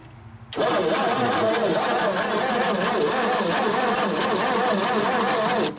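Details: 1961 Dodge Lancer, first start attempt in 30 years: steady, even starter cranking for about five seconds with no catch or firing; the engine turns over but never starts. Cause suspected, not confirmed.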